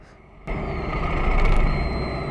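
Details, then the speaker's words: Car pulling away in first gear after riding clutch 9 minutes parking on steep ramp against electronic brake, acrid smell: low uneven shudder through drivetrain under load; judder from burned clutch, flywheel possibly damaged too. "Did you hear the juddering sound? Let's hear it again. Yes, it means you have successfully burned your clutch, and possibly the flywheel too."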